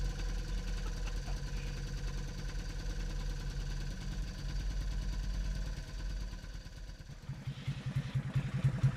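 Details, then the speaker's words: Honda CT90 Trail 90 small single first start after many years in storage, turning over freely with timing marks checked: putters along with a fairly steady beat, a little uneven at first; running on its own, normal idle. "it's a runner it's a runner holy"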